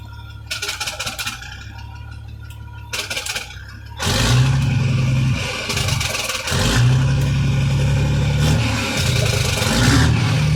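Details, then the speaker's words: 1987 Kenworth T600 3406B diesel, first start after 20+ years sitting, with a big air leak and no air pressure: the engine revs, then a hard, choppy exhaust rattle on slowdown shows the Jake brake works. "let's see if the jake brake works it certainly"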